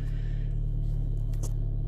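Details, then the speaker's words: VW Golf GTI Mk5 2.0 TFSI after crankshaft position sensor (G28) replacement for P0321 implausible signal, rev counter drops and failure to start; starts and settles into steady, even low rumble, no misses or knocks; normal idle. "so as you can tell by the car starting that's the crank center changed so that can go in the bin it's done it's life"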